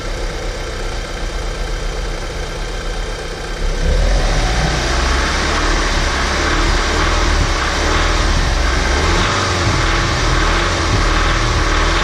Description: when engine is running at idle it is smooth and as quiet as it should be, but when i rev up and down i get what i would describe as a cam noise or diesel noise like my caddy sdi.